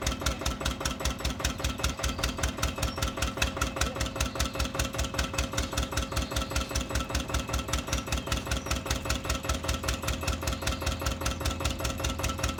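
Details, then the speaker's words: Old Winget one-ton dumper, long-stored single-cylinder Lister PH1 diesel: steady, loud chug about 100 beats a minute; runs but smokes and lacks power. Owner suspects blow-by from badly worn rings; filters long unserviced. "the uh gonna be a blow-by on the engine so imagine the rings are quite bad on it"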